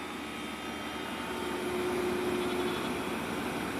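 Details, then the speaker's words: Carrier Greenspeed variable-speed heat pump outdoor unit with refrigerant muffler, cooling mode at 100%: soft, steady fan and compressor hum, no knocks, rattles or whine; quiet, normal running at full speed. "it's very quiet has a discharge or a suction uh Muffler refrigerant Muffler to reduce sound traveling down the refrigerant tube right there you can see it here um very very quiet running it 100% on cooling mode right now"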